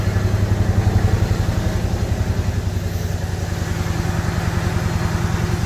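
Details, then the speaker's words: Refurbished truck engine after fixing grounding and swapping battery, coolant leak and smoke seen at the bottom: deep even rumble about three to four pulses a second, no knocks or misses; healthy-sounding idle. "my kids here sounds great though hear that Rumble"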